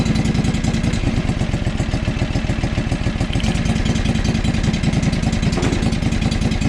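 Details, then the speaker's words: John Deere 445 riding mower small twin, with coils tested good: uneven, stumbling thumps at idle, only slightly better on a used coil. Misfire and rough running, cause not yet found, other problems suspected. "so that that coil is good that coil is good so huh and it still runs like crap so what does that tell us tells us we got some other problems right"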